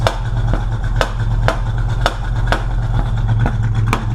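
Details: Engine running rich, with heavy smoke and a strong smell from the tailpipes. Sharp loud backfire cracks about twice a second over a rough, rumbling idle. Suspected ignition timing off 180 degrees, not yet confirmed.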